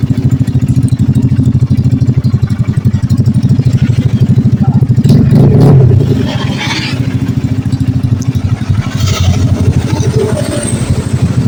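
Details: Honda Blade carbureted single, freshly rebuilt after running out of oil and seizing the piston: steady even low putter with brief rev blip, smoke from assembly residue burning off; healthy normal idle.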